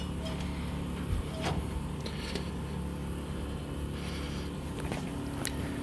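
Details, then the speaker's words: 1963 Mack gasoline truck, first start after 4 years sitting (suspected bad gas), choke cable unhooked so rag stuffed in air intake: low steady even idle rumble, fires and keeps running; owner unsure whether water pump sounds bad. "Be completely honest, it just fired up for me off camera. Had to stuff a rag in the air intake."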